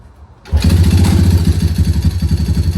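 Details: 2015 Yamaha TTR110 with 130cc big bore kit, after oil top-up: engine catches after a short crank and settles into a quick, even single-cylinder idle with steady low thumping; sounds normal (earlier the owner was diagnosing a loud clutch-side tick).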